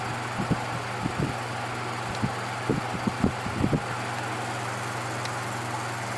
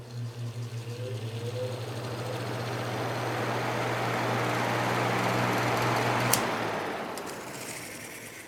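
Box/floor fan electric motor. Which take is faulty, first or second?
first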